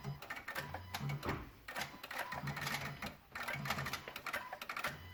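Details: 2016 Honda Odyssey with the engine off: quiet, irregular bursts of light clicking like a relay cycling, coming from near the PCM and VSA control module, while the Engine, VSA, LDW and FCW warning lights are on; cause unknown.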